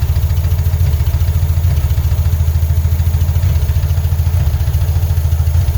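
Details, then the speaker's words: 1975 Porsche 914 1.8L on a newly fitted replacement fuel pump: a lumpy, barely running idle. Fuel is only dribbling out, so the pump delivery is completely inadequate and the engine is starved of fuel. "yeah can see it's just barely dribbling out of there it's completely inadequate"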